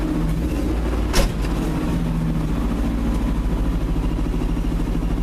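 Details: Pickup truck engine at rough idle with a deep, steady knock about seven beats a second under the rumble; owner says it needs a head gasket and now has a rod knock too, suspected, not confirmed.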